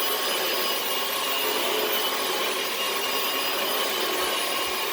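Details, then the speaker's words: 2006 Dyson DC18 Slim All Floors after pressing the reset button to get the brush bar spinning again: steady high-pitched motor rush with even airflow hiss and no surging or grinding; running normally. "it probably just needs to be reached and thankfully I was right so it works beautifully again"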